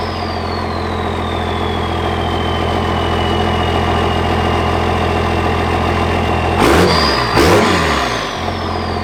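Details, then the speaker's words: Cummins 24-valve diesel running again after restart trouble: steady, even clatter with smooth low rumble and two short throttle blips settling straight back; healthy idle. "So the 24 valve is alive once again. So had a little trouble starting it up, and honestly, it was all my fault."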